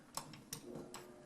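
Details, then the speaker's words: Old analog thermostat controlling an evaporative (swamp) cooler, room around 85°, before replacement with a digital thermostat: a few crisp clicks as it switches on, then soft airflow hiss, pump possibly running; the relay contact is switching normally. "if you can hear it but right now it's clicked on you can hear air coming through the pump might be on"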